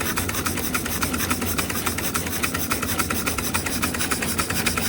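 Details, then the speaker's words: Josef Falk 456/4 Lokomobile steam engine, first steaming, gas-fired: steady even chuffs about three and a half per second with no leak hiss; running smoothly, no leaks. "No leaks anywhere. I imagine that's quite a powerful model. Anyway, it's running beautiful."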